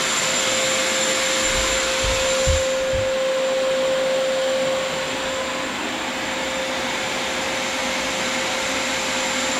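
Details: Shop vacuum after a napkin clogging its intake was removed: even high whine and smooth airflow rush with no choking or pitch drops, pulling freely. Normal running.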